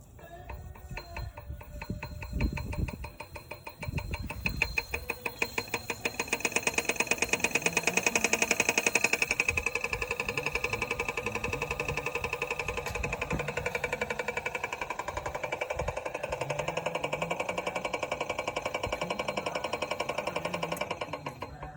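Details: New Laguna Revo 15|24 wood lathe running with a steady motor whine and a fast, even ticking on top; cause unknown.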